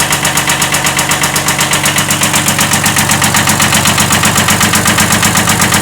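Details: 1979 Kubota B7100 tractor with replacement Kubota D950 diesel swapped in for the old D750, idling: steady even knock about four times a second over clatter; slight rod knock.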